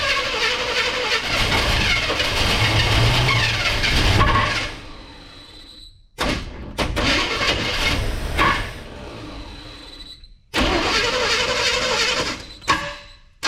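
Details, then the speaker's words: Abandoned square-body C10 with gas poured down the carb and ignition/starter wires jumped to the battery: bursts of cranking catch into short ragged runs that stumble and die within seconds; fires only on poured fuel. "So with that said, I think I'm gonna dump some fuel down that thing and touch all the wires to the battery, see if it does anything."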